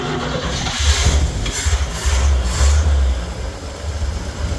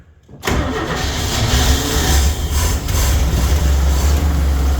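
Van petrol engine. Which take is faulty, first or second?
second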